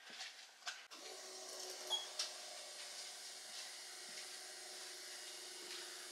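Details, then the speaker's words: VW Golf 2 GTI with Digifant injection, electric fuel pump switched on with the fuel rail initially empty, system around 3 bar: faint steady even mid-pitched whir with no surging and no leak, fuel pump priming normally. "Là, on entend bien la pompe qui tourne. Donc. Il n'y a pas l'air d'avoir de fuite."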